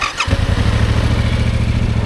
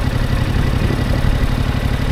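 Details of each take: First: Motorcycle (R7) started in neutral after pressing the kill switch to on and the ignition button: brief starter whirr, catches at once, settles into a steady even low thrum; normal engine start. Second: Motorcycle (Yamaha R7) at low speed heading slightly uphill, clutch let out further: low, uneven chuffing pulses as the engine labours and shudders. It is lugging toward a stall.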